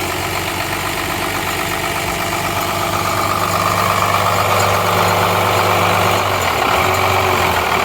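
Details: 12-valve Cummins diesel just started after nine years sitting: even steady idle clatter, no misses or knocks; runs good, injection pump seems a little sticky.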